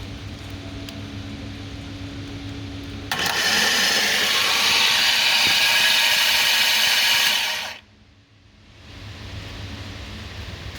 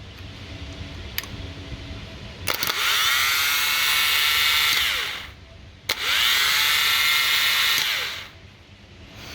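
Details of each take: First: 2015 Jaguar F-Type with 72k miles and a hydrolocked engine, removed and on a table, with the starter energized. A loud, high whir lasts about five seconds and cuts off; the starter pinion stays engaged instead of retracting, and the starter is suspected to have failed. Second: Starter from a 2015 Jaguar F-Type with 72k miles and a hydrolocked engine, bench tested with the engine removed: two bursts of high smooth whir rising to steady speed and spinning down freely; starter works fine.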